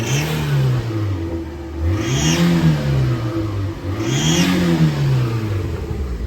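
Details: Daihatsu Mira turbo engine blipped about three times, with a thin high squeal rising with each rev; after tightening a loose belt it also squeals at idle. The cause is still unknown: a broken turbo intake was found, and belt or motor are suspected.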